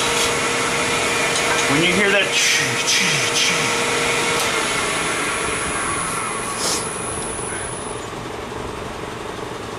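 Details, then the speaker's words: Turning a resin pen blank on a lathe: rough scraping chatter about three times a second over the lathe hum; cut too heavy, tool chipping out the resin instead of cutting ribbons. "because it's doing that it's shipping out instead of cutting the ribbons you don't want to hear that noise"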